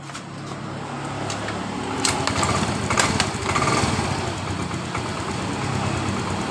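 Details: Yamaha Mio M3 scooter that sometimes dies while riding, checked with fuel pressure normal before fuel pump filter inspection: kick-start attempts, then catches and idles with uneven, slightly irregular putter; intermittent stalling, cause unclear.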